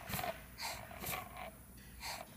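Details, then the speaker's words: Standard Tapflo air-operated diaphragm pump on a regulated air supply: soft, slow, slightly uneven air puffs about twice a second as it only begins cycling at about 1.3–1.5 bar. Normal slow cycling at low air pressure. "the pump is just starting to move 1.3/ 1.4 of a bar and 1.5 of a bar. The pump is just now starting to pump."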